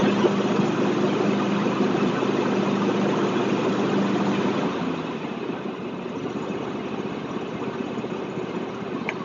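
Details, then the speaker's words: John Deere X324 riding mower, outdoors with blade engaged: small engine holds steady even beat under load, then eases quieter; normal running, unburned gas smoking from muffler. "Pull it outside, engage the blade, see how it sounds. Sounds good."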